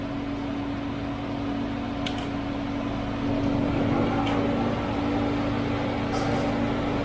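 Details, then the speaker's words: VW Golf 6 1.4 TSI (CAXA) first cold start right after timing chain replacement: quiet, even idle under a steady hum with a faint whirr from the fuel pump because the engine is cold; no chain rattle, normal. "gördüğünüz gibi zincir işlemleri bittikten sonra ilk çalıştırması bu şekilde fark ediyorsanız iyi dinleyin zincir sesi hiç yok"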